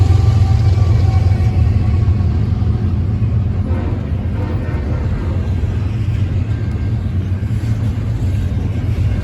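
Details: Eastbound BNSF freight train with GE locomotives on the Aurora sub at Rochelle, Illinois: lead diesel gives a very loud, deep, steady rumble far harsher than normal; cause unknown.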